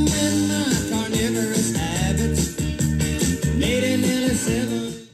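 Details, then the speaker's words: Playback of a recording made on a mint-in-box 1997 GPX TVP9 B&W TV/AM/FM/cassette: pop music sounds harsh, crunchy and pumping because the automatic level control couldn't keep up and overshot; overload distortion on the cassette recording. "you can that you just hear the distortion that's gpx dead on there i mean remember that other piece of crap i destroyed that's exactly how it recorded"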